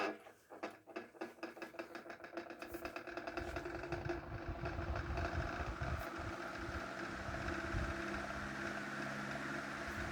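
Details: 1930s Murli electric fan, cleaned and restored: rhythmic ticks slowing over the first seconds, then a steady low hum with an even whir settling in as it runs smoothly. Normal fan running.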